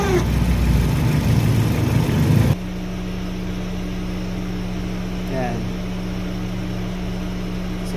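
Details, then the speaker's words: Engine idling with worn old Mitsuba radiator fan motor, stiff and rough to turn by hand; loud rough whirring roar over idle for two seconds then cuts to quieter hum; fan motor causing engine-bay noise, later replaced. "So medyo ano na siyang paikutin, matigas na, tsaka magaspang."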